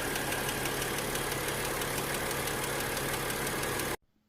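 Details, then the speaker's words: BMW 6- or 8-cylinder petrol engine idling with a light quick ticking over the hum: the hydraulic lifter tick. "Correct. It is the dreaded BMW lifter tick."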